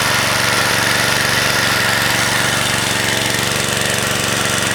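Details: Vintage (likely 1970s) McLane machine with a Briggs & Stratton single, revived after sitting about 14–15 years, pops evenly about three beats a second with a steady buzz; runs smooth and healthy, though it needs a new blade.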